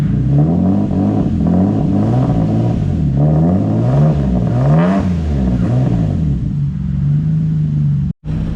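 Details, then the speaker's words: Turbo VQ35-swapped Nissan S13 with new 2.5 inch oval pipe to 3 inch full exhaust: engine revs and settles with deep smooth note, no puffing or ticking; V-band joint not leaking, normal. "Make sure there's no leaks. Yeah, sounds good. V-band is not leaking."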